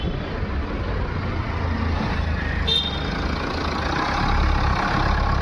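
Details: MG Hector diesel after replacing the faulty fuel pump assembly (fuel was not reaching engine, cranked but wouldn't start) with a second-hand original: even, low rumble holds steady with no misfire, knock or stumble; running smoothly.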